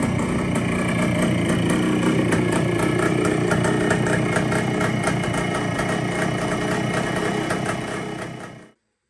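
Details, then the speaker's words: 1973 Kawasaki 175 two-stroke, sitting since the mid-1980s, after carburetor cleaning: even, steady idle with a quick regular beat and no top-end knocking or rattling; sounds healthy, throttle cable still stiff. "But it sounds good. No excessive noise. Top end sounds good. Riding nice."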